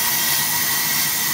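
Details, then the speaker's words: AMMCO brake lathe cutting a large, tough rotor with proper tooling: steady high-pitched cutting hiss, even and unbroken, no chatter or squeal. The tooling absorbs vibration before it becomes a secondary harmonic, giving a clean, stable cut. "so if you listen to the cut you can hear it would really like to start shattering but the tooling is just eating up the chatter the vibration before it becomes a secondary harmonic"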